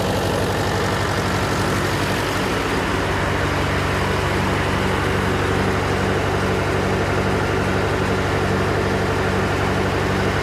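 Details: John Deere 401C diesel with cracked block, idling: loping, uneven beat with a regular gap where one cylinder drops out; temperature check shows number three cold while others hot, confirming an injector problem.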